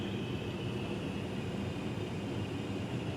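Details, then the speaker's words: Carrier furnace humidifier set to its 60% maximum, just after the solenoid valve clicked open: a soft, steady hiss over a low even rumble with no surges, as water flows normally toward the drain. "so you can probably hear like little light hissing"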